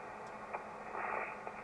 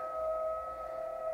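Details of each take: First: ICOM IC-751A ham transceiver after the PLL adjustment, with an RF generator signal injected near the antenna input at 11 MHz. Harsh hiss across the band with only a faint smeared tone instead of a clean carrier; the audio is still distorted, so the fault is not the PLL adjustment. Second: ICOM IC-751A transceiver after PLL trimmer replacement and readjustment: a generator signal near 23 MHz gives a clean tone held dead level with no hash. The PLL is locked and stable, where before there was only ratty noise.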